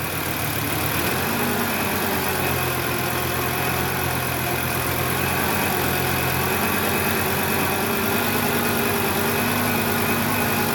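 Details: Volvo 850 T5 turbo engine after fixing vacuum hose leaks, now about 95% normal idle; revs rise slowly with a little gas, coolant reservoir low. Steady, even hum with no hunting or surging; normal idle.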